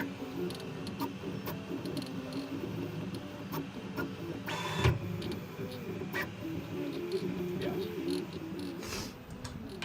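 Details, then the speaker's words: Newly built Voron Trident CNC AWD 3D printer (Siboor kit) printing with its filters off and its motors very hot; scattered sharp clicks come at uneven intervals over the stepper whir, and the pulleys are suspected but the source is unconfirmed. "Are those the pulleys clicking? Are you sure that's the pulleys? I don't know, it's clicking."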